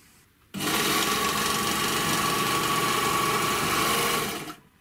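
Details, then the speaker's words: 3-thread GM C1D overlocker after cleaning, lubrication and stitch setup, sewing thin fabric and running without material: smooth even fast whir with no knocks or catches; normal overlock stitching. "обратите внимание я шью тонкий материал и без материала значит машина строчек хорошо по звуку слушайте"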